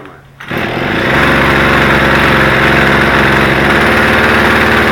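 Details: Poulan chainsaw after soldering a broken ignition connection that caused no spark, cold start with choke out and primed: catches after a pull and settles into a steady, even high buzz with no misfire or stumble; running fine.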